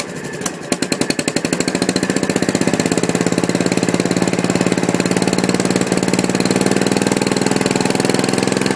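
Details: Gravely 450 tractor with a Kohler K241 single on its first start, after rewiring and a new coil, with the fuel pump leaking gas. Loud, sharp, steady knocking about three to four a second. Owner suspects the rod, not confirmed.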